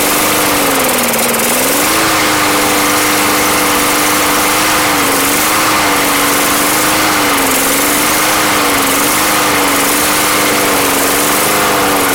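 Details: Barely used Yard Machines lawn mower bought not running, running after Seafoam was added to the fuel: steady high drone whose pitch hunts gently every second or two, mild surging that settles as it runs.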